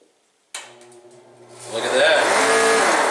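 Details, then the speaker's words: 115,000 BTU torpedo heater, fan motor also driving an air pump: motor hums, then slowly drags up to speed with wavering, odd tone, even running backwards. "I was told the fan has been acting up let's see if we can figure out what's going on with it foreign at all there yeah the motor is just not starting"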